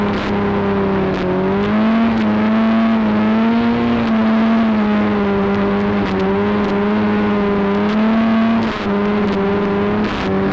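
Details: Arctic Cat Cheetah 440 two-stroke snowmobile bought for about $50, previously running rough, now riding with the camera on the dash; strong buzzing note rises and falls smoothly with throttle, no stumbles. Normal running.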